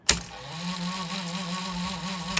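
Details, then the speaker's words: A Technics RS-M88 cassette deck from 1980, after a dead switch was cleaned, clicks and its motor hums steadily, but the reels don't turn because the worn idler is no good. "It doesn't actually rewind or do anything, but uh we know why that is. The idler is uh no [Music] good as you can hear."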